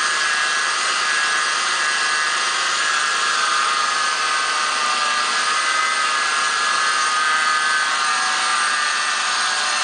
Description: There is a whining noise coming under the hood in this toyota 4runner 2003 V6 1GR engine.